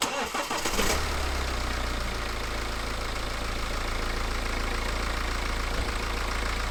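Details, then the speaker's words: BMW 318 after replacing antifreeze-contaminated squealing drive belt with Gates 6PK belt: brief crank, then smooth, even, quiet idle with no squeal or chirp; noise gone, normal idle. "now beautiful and quiet lovely lovely"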